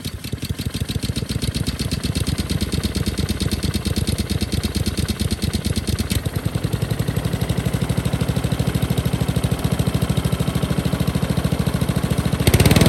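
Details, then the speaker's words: Honda lawn mower found dumped: uneven, rough, hunting single-cylinder chuffing at about two beats a second. The choke isn't closing because a stretched throttle cable holds it open at full throttle. "it's almost like the choke isn't working"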